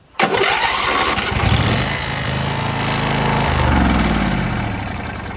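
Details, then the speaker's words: John Deere LT166 riding mower: engine cranks, catches and settles into a fast idle with a thin metallic buzz, suspected to be a loose part hitting something; not confirmed. "First of all, this lantern I gotta take off there, but you hear that little buzzing? That was hitting something, which I think might have been this thing."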